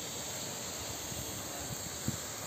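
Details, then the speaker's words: Burst underground heating pipe, Nakhodka, 1 January 2024, 10 a.m.: steady loud hiss with low gushing rumble, hot water and steam escaping under pressure into the open air. "Ну тут видно как всё отопление даже слышно как шумит всё отопление вылетает куда-то туда в атмосферу"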